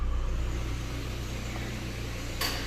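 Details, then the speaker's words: C5 at idle after air-conditioning regas, lights on: short click and surge as the AC compressor clutch cuts in cleanly, fans working, idle settling back down; AC blowing cold, working normally. "oh I can add a compressor that's good that one's slowly coming down the fans are working that's good"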